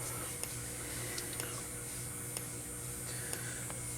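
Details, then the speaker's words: Fire alarm strobe on a full-wave rectified (FWR) panel: loud steady low buzz with a sharp tick about once a second as it flashes; on filtered DC it would give a smooth squeal instead; buzzing is harmless. "you can hear that strobe right there that strobe is buzzing very loudly that's because it's running on fwr"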